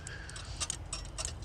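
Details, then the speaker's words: Engine setting codes P0340 and P0344 despite three new parts: uneven light metallic ticks and clicks over a low rumble; the cam sensor tone wheel has broken off the timing gear, with shavings on the sensor magnet, so the timing gear needs replacing. "Y'all hear that? Oh my goodness. Yeah, this is broken."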